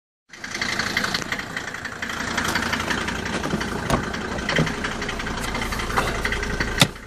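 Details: Mercedes W202 with an OM605 turbo diesel: an irregular sharp knock stands out over the idle clatter, a strange engine noise of unknown cause.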